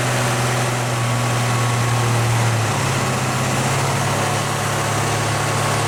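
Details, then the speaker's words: 1970 Pontiac LeMans 455 V8 after a failed fuel pump diaphragm leaked fuel, possibly flooded, after 2100 miles: steady low rumble with even idle tone settling slightly, no stumble, no fuel leaks; normal idle. "oh baby idol for me idol idol [Music] [Music] we've got idle well it's at least breathing again"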